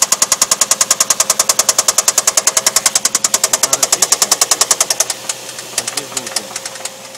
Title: Стук двигателя vq35de infiniti v6